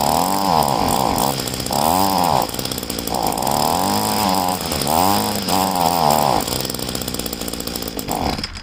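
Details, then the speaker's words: Poulan two-stroke leaf blower being winterized: gas tank drained, primer bulb empty, run on choke; small engine buzzes then repeatedly sags and recovers in uneven lean surges as choke is toggled on and off while running out of fuel toward stalling. "I'm just going on and off with the choke."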